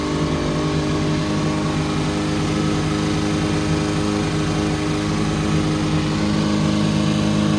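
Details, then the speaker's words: Austin Mini Cooper after replacing the distributor wire and adjusting the distributor and fuel: steady, even idle with a smooth beat and clean throttle blips, no misses; previously ran badly, now normal idle. "sounds good sounds good when we first started it was sounded like trash bro a little bit of tuning a little bit of adjusting a little bit of adjusting the um what do you call that thing the distributor adjusting the distributor adjusting the gas adjusting a little bit everything and now it's running good"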